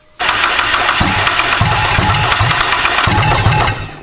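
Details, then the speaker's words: JDM turbo Miata on MegaSquirt, first start attempt; starter spins then uneven stumbling firing bursts that die, RPM dropping from 200 to 0, timing lost: erratic crank position signal from damaged crank pulley markings that were meant to be replaced. "Alright, so the crank position sensor, which measures where the crank is on its rotation so the car knows when to fire, it actually uses a sensor and it uses markings on the crank pulley to figure out where it is. And the crank pulley has some damage on it, and we did mean to replace it, but we never did."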